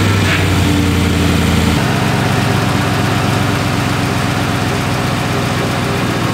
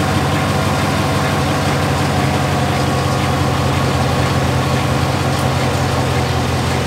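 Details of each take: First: 2017 Chevy Silverado 5.3L V8, 88k miles, idling: a light, quick lifter-like tick over the rumble, louder on cold starts near the driver-side fender well. A stethoscope traced it to a worn brake vacuum pump, which was then replaced. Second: 2017 Chevrolet Silverado 5.3L V8, 88k miles, idling after brake vacuum pump replacement (found as source of loud ticking, worse cold, driver-side fender well): smooth deep rumble with only faint light ticking, much quieter than before.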